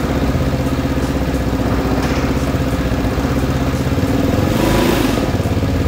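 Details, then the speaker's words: Vespa S with Polini 175cc bore-up kit, Akrapovic exhaust and open-filter intake, idling with a deep throbbing hum and a brief rev; the humming drone is normal intake noise from the open filter. "mungkin ada beberapa suara aneh yaitu mendengung uh uh gitu ya tadi dengar kenapa suaranya kayak gitu karena momen ini memakai snot intake jadi bisa dibilang dia Open filter open"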